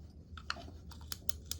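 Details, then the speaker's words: Lew's Speed Cast (Zebco Z-1 clone) spincast reel during service, spool refitted after greasing drag washer: sharp light ticks, about six in 1.5 seconds, from spool tab clicking in its channel; drag clicker working normally. "hear that that's what that's the sound that you're going to get when your drag is operational"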